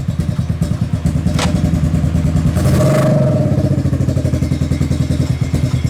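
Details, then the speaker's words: Kawasaki KFX700 quad engine with a cleaned carburetor, spark present and the timing chain checked. Lumpy, uneven idle with skipped beats and occasional sharp pops back into the intake; stuck valve or timing chain suspected. "So it still has the misfire or whatever it is, the backfire into the intake. It sounds like a misfire. It sounds like it's backfiring into the intake."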